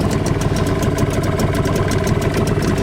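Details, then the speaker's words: Tohatsu outboard (9.8 or 5 hp tested) on 92 octane petrol with Manol Outboard oil; light quick even putter at idle with no misses or rattles, runs smoothly. "На холостых мотор работает достаточно мягко."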